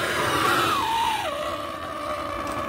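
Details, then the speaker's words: Old propane Turbo Torch heating a TRX 3.3 engine part for bearing installation: high whistle sliding down in pitch then holding steady over burner hiss; this torch type's normal whistle. "it's a Turbo Torch that's why it has a weird whistling sound here"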